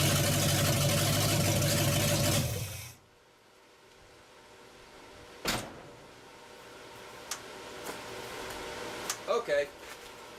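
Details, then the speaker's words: Truck cold start without pumping the gas or priming: catches at once and holds a strong, even roar for a few seconds before being shut off cleanly; healthy cold start. "as you can see she started righted up starts real good"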